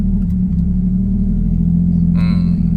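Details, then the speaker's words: Ford Ranger with 1JZ-GTE swap running on petrol after fuel pump replacement: low, even idle rumble with steady pitch, no misses or hunting. Smooth, settled idle; on gas (LPG) idle is less stable. "น้ำมันเนียนเลยเขียนว่ารอบนิ่งเลย"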